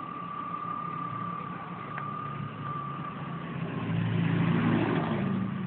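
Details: 1997 BMW E36 M3 at idle: thin constant whistle or whine of unchanging pitch above the engine note; source unknown.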